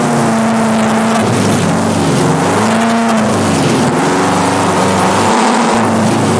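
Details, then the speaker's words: Subaru WRX drift car with new 750cc ASNU injectors, TGV deletes and fresh remap, hard revving mid-slide on a wet track with fuel at 3/4: power drops out twice then recovers; intermittent fuel cut, owner suspects fuel surge needing a surge tank. "now fuel level was down a bit 3/4 and there was an awful lot of water on the track but we got this really weird fuel cut listen to this"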